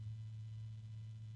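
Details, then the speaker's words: Asia Horse fan at raised speed: a steady deep hum that grows louder, with the unit shaking in the hand. Owner suspects a failing bearing; cause unconfirmed. "I don't know if you guys can hear it but there's a weird noise I'm assuming it's the bearing not starting to hum kind of a deep hum it's getting kind of noisy now"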